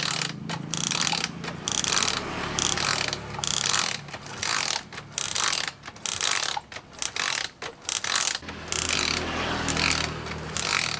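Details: Suzuki motorcycle ignition coil bench spark test on 12 V with pulse generator: sharp loud crackling snaps in quick bursts with short gaps; Suzuki coil throws a big, strong, blue spark.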